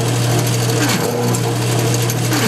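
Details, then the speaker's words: GM CS-130D/AD-244 alternator (1996-2009) run full-load on a bench tester by touching positive to the brush: loud, rough growl over a steady low hum from a bad bridge rectifier; fix is desoldering three leads and replacing the rectifier. "you hear that growling sound you hear that horrible sound real growling"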